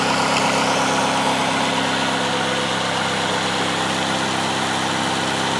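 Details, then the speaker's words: 2009 Ford Fusion 2.3L, 115k, after engine replacement for a bad knock and oil burning: steady even idle hum with no knocking or ticking; noise is gone, normal idle. "all right guys done there it is noise is gone"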